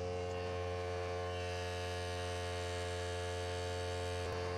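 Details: Harbor Freight Central Pneumatic pancake air compressor (item 95275) tested after fitting a copper line with compression fitting: even, steady motor hum with no knocking, rattling or air hiss; pressure climbing, normal running.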